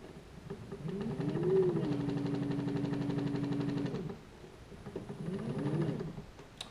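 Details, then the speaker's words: New Haswig Protruar 1.0 12V brushless trolling motor, stated as 55 lb thrust (title says 65 lb): it spins up with a rising whine and a steady tick, about four a second, in both forward and reverse. The owner says the tick does not seem right. "all right so please um tell me if that's the way it's supposed to be because that does not seem right to me again this is the heswig procturer 12 volt 55 pound thrust brushless motor picked it up off of eBay and it's got a tick doesn't sound right to me see what you think"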